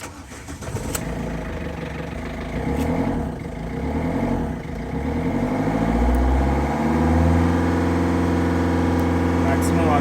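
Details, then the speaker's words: Ford Figo diesel cranked, then accelerator pushed straight to maximum: it catches and climbs in pitch sluggishly with an uneven edge while the powertrain light blinks; misfire from cylinder 2 injector circuit fault. "in fact i push the accelerator immediately to the maximum degree we go you can see there is a misfiring as well as our transmission control mode is blinking as well"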